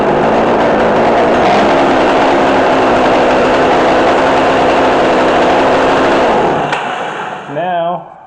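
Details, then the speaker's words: McCulloch Mac3216 32cc chainsaw with 16-inch bar, right after the low-speed screw was turned in a quarter turn. It holds a fast, busy buzz at idle before shutting down; the idle speed is set too high. "our idle is too high. So yeah, it was just too loose, see?"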